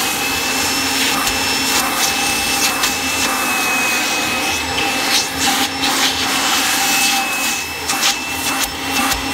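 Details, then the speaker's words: 1997 Kirby G5 upright vacuum with metal fan, hose and dusting brush attached: steady high airy roar with constant whistle on top, no wobble or grinding; fan sounds like a vintage 500-series Kirby; normal motor running. "I do like that fan that's in it it really sounds like a vintage Kirby which I do like a 500 series Kirby"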